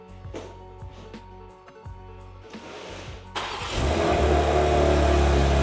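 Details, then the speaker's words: BMW G87 M2 after xDrive all-wheel-drive conversion, first start once engine and transmission are refitted, oil primed and fluids filled: slow cranking, then it catches cleanly and settles into a strong, steady idle with no misses or knocks; normal start and idle. "it's alive unbelievable"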